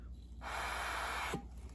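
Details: Homelite XL-113 chainsaw: a sharp one-second hiss that starts and stops abruptly as air and fuel escape from a hole in the carburetor body. A check valve there is suspected to be missing, and the carb must come out to replace it.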